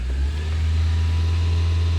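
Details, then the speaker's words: 2001 Toyota Camry 4-cylinder, warm in park with radio and AC off, after coolant hose replacement: steady high idle (was 2500 rpm) persists after attempted IAC/ECU idle relearn; battery disconnect reset didn't help; cause unknown, possibly IAC, vacuum leak or throttle body. "Nope, it didn't do anything. So, something is definitely wrong somewhere."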